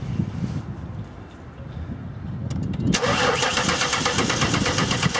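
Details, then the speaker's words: 2000 Ford Taurus with electronic returnless fuel system, no-start: starter cranks steadily at about 160 beats a minute but never catches; gauge on the fuel rail Schrader valve shows no fuel pressure, pump power and grounds still to check. "as you can see we have no fuel pressure so obviously that's going to cause a nose start"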